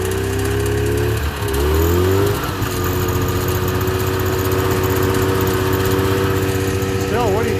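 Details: Subaru 360 van with a two-stroke engine, started after years of sitting and with a freshly charged battery and a working fuel pump; its buzzy note settles into a steady, even idle after a brief blip.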